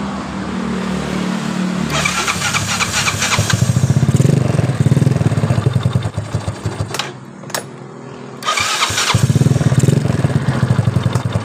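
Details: Yamaha Mio Soul after repair of worn rear starter/dynamo cover bushing that caused grinding on start and shutdown: starter whirs briefly, engine catches cleanly, settles to steady idle, restarts the same way without harsh grinding.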